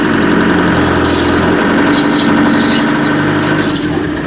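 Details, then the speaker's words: 1997 military Land Rover Defender 90 converted to 300Tdi with LT77 gearbox, idling on a chilly morning: a steady high squeal in forward gears only, not in reverse, with no clunk; clutch or bearing suspected, possibly low gearbox oil; unconfirmed. "You see, it sounds like a clutch or something's gone in the bearing, but everything seems to be okay. It's just when you put it into forward gears, it makes that screeching."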